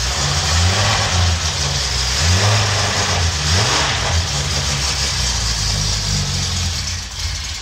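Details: $50 L28 six (240Z) freshly rebuilt with chrome-moly rings and new bearings, first fire-up: catches and settles into a lumpy uneven idle with throttle blips, no knocks or rattles; good oil pressure, no smoke.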